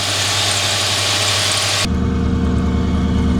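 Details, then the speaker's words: Ford Crown Victoria Police Interceptor V8 at idle after a jump-pack start: smooth, low, even rumble with a faint squeak, a suspected tensioner or idler pulley; otherwise healthy, no check engine light. "No check engine light, and that thing sounds smooth, buttery smooth. Hear that engine purr."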